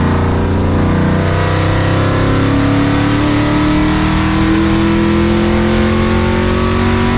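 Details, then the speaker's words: Ford Mustang with Coyote V8 after new exhaust and Y-pipe install fixing a months-long rattle (traced to a fender bolt): deep smooth drone at highway cruise around 65-70 mph, 2,000 rpm, then clean full-throttle rise, in-car; slight hum, no rattles, healthy. "I'm an absolute love with the sound of the new exhaust on the Mustang one there's no rattles two the Mufflers sound great and it sounds incredible when you're cruising and it's low where you want it"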